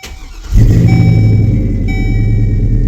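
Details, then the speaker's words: 2003 GMC Sierra pickup that came in with a no-start and no-crank despite a good battery and starter, traced to a blown 40 amp fuse. Brief crank, then the engine catches at once and settles into a steady, smooth idle with no misses. "Oh, yeah. Still running."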